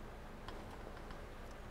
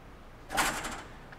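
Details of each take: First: Water hammer demonstration rig with about 200 ft of copper coil and a quick-closing discharge valve, surge suppressor switched in: low steady flow rumble, faint clicks, no bang or shudder as the valve shuts, so the suppressor prevents the pressure spike. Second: Water hammer demo: quick-closing valve on a 200 ft copper coil with surge suppressors isolated; sharp bang with brief rattling tail as the shock travels and reflects back to the valve, gauge showing 400 PSI peak from zero instantly.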